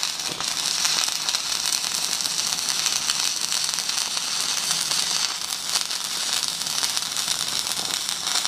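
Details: Stick welding half-inch pipe with a 3.2 mm 6012 rod at about 150 amps on a Magnetic 150 machine; steady crisp frying crackle with occasional sharper pops, no sputtering or breaks, a stable healthy arc.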